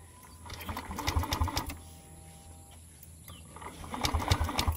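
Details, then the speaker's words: Aerox 155 V1 scooter stored a month, stalls in use though it has power, no error code; on push start it gives two short bursts of fast chugging cranking and never catches; CKP sensor, oil seal and spark plug problems named. "Pero ngayon hindi na talaga nagi-start. Wala namang error pero kapag pino-push start, ganito lang mga boss."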